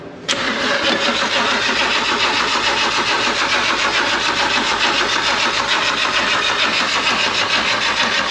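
Steady, fast rasping churn from the starter with no catch or rising revs; the engine keeps turning over without firing. Cause suspected, not confirmed.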